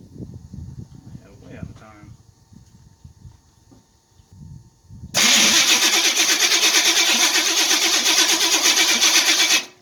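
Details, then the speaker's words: Chevy Nova cranking after distributor advanced slightly: loud harsh gnashing over the cranking rhythm, nearly three beats a second; starter bolts tight but the pinion sits too far from the flywheel, needing shims. "Checked on the starter. It is tight, but it is making a bunch of noise now, which sucks."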